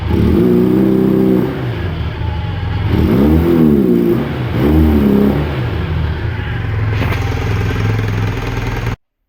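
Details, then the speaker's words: Honda CB400T: revs blip up twice and sag back, then fast steady idle near 6,000 rpm with choke left on and throttle stop screw too tight; later set to about 1200 rpm. "All I really had to do was, for starters, get rid of the choke, because I realized I was running with the choke on."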